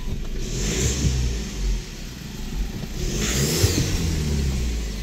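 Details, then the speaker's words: VW Polo diesel after new clutch kit, timing kit, engine mounts; revving twice, a thin hiss-whistle rises over the engine each time, which the owner calls the turbo sound; cause not confirmed. Whistle on acceleration. "నేను అన్నా కదా turbo sound అని అది ఇదే మీకు వినిపిస్తుందో లేదో సుయ అని వస్తుంది."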